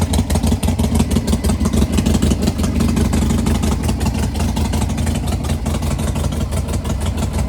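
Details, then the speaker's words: 1998 Harley-Davidson Sportster revived after sitting 2–3 years: loose, loping V-twin idle around three beats a second, steady and even, no knocks or rattles; normal idle. "Runs some good."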